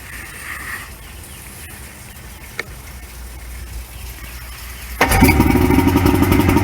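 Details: 1994 Suzuki 115 two-stroke outboard, after Sea Foam treatment soaked overnight, which previously wouldn't start after sitting: quiet spell, catches at five seconds, settles into a quick even idle; starts and runs cleanly.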